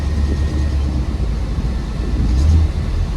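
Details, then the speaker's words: 1968 Pontiac Firebird, five years after full restoration, driven on road test: deep uneven V8 rumble with a rough, blatty edge from a horrible exhaust leak; ticking under the hood also heard, blamed on failed intake gaskets. "That exhaust leak is something horrible."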